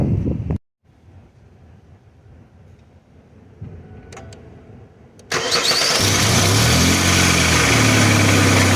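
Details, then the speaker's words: 2003 Ford Explorer cranking, catching, then idling with a loud, harsh metallic rattle from a very old, worn engine pulley that visibly wiggles; heard before the pulley was replaced. "crazy indeed guys crazy indeed that does not sound good it wasn't sounding like that this morning when i drove it here"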